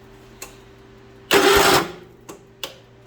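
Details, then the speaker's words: John Deere 210 lawn tractor with the fuel turned on for a first start attempt: a short crank burst stops dead after about half a second, then only faint ticks; the engine locked up and the owner suspects mice; starter jammed by mouse nest. "oh that just locked up oh we just cranked it what happened mice"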